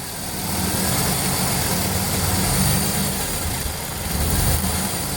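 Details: Toyota 4.3 engine idles smoothly at 600 rpm but floods and runs rough when revved above idle: uneven revving that stumbles and hesitates; misfire caused by a braided fuel line rubbing on the coil wire and shorting it out.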